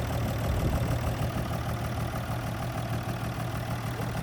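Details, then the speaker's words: 1962 Ford Falcon, revived after sitting since 1982, just after setting the points: low, even rumble about three beats a second, steady with no knock or miss; normal healthy idle. "Sounds normal."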